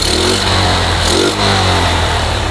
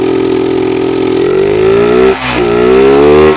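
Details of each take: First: Yamaha Jupiter MX that kept stalling after an engine rebuild, carburetor and vacuum faults, fitted with a replacement RX Special carburetor: starts straight up and holds a steady, even note with a smooth blip of revs; normal start and revving. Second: Yamaha Jupiter MX that keeps stalling despite a recent engine teardown: with the carb vacuum slide pried up and throttle opened, the engine surges and sags and won't stay running. Repeated carb/vacuum slide fault; fix is swapping to an RX Special carburetor.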